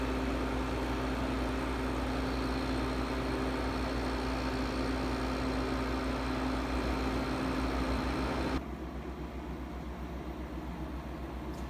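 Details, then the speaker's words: 1968 GE Fashionette 6000 air conditioner, cleaned, fan motor lubricated, new filter foam, on low cool: steady low fan rush with a faint constant hum, no rattles or grinding; much quieter than a Porter Cool on low. Normal running. "quiet unload I was surprised it's much quieter than a porter cool on low setting"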